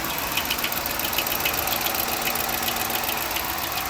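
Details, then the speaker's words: 2012 Dodge Charger ex-police car at auction, V8 idling; light, uneven chattering tick, three to four a second; suspected bad camshaft, not confirmed. "Is that a V8? Doesn't sound good. No, that does not. Can you hear it? Chattery. Yeah, it's chattery."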